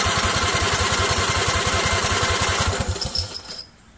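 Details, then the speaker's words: Craftsman 20.5 HP Kohler Command V-twin lawn tractor after carburetor cleaning, running off the original rear tank, choke off, battery possibly drained: steady starter cranking at roughly three pulses per second that never catches, then stops; fuel may need time to reach the carb. "it needs time for the gas to get through you know"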